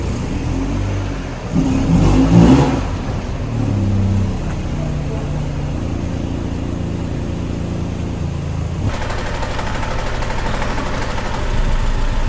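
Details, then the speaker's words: Peugeot car being converted to ethanol, injectors just fitted: uneven, lumpy idle with stumbling beat and surges, running on three cylinders because an injector seal is sucking air; fix is replacing the seal. "Alors, le bruit que vous entendez, en fait, c'est un injecteur qui prend de l'air. Donc, du coup, on est en train de régler le problème. C'est juste un joint à changer."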